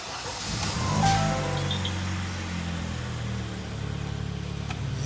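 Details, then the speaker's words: 2012 Kia Sportage G4KD, 133,000 km, after cylinder sleeving and full rebuild for severe piston knock in winter frost: starts, flares, settles to smooth even quiet idle with no knock; slightly loud exhaust, no catalytic converter. "запустилась заработала видно слышно что без катализатора автомобиль"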